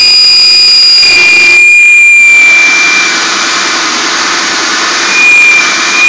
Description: I own an '03 Mercury Grand Marquis (4.6 single cam, single exhaust, 95k odo) that just started making a loud whine/whistling noise during the first 30 seconds of a cold start cycle. Seems like the sound is at the front of the engine, by the drive belt.